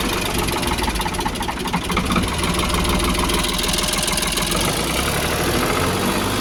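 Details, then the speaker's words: Old Ford 1000-series 4600 diesel tractor, just after fitting a new injection pump: slow, lazy, lumpy tick-over with idle set too low; idle screw then wound in to about 700 rpm. "Ticking over a bit too slow, isn't it?"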